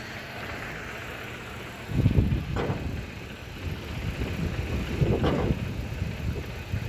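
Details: Hyundai car (2017, engine replaced), code P2188, idling: uneven idle that stumbles and surges every few seconds instead of holding a steady beat, a misfire traced to the ECU's ignition coil driver.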